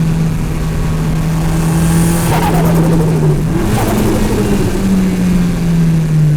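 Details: Mitsubishi Evo turbo engine, recorder in engine bay: loud revving with quick fluttering chatter on each throttle lift; boost surging back through turbo with no blow-off valve.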